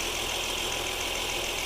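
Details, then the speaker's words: 2009 Honda Accord V6 idling after alternator replacement, jumper box unplugged and engine stays running: smooth even idle, steady hum, no knocks, ticks or stumbles; alternator good. "Now I'm gonna unplug these. The car should stay running. That means we got a good alternator."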